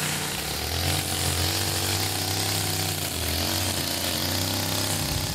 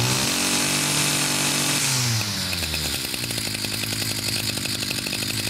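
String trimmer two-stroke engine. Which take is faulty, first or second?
second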